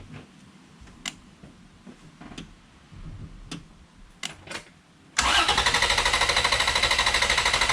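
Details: Vehicle cranked from a jump starter with the battery removed from the system and the fuel injection relay pulled. After a quiet spell the starter spins hard and fast with an even beat but never fires; no start by design.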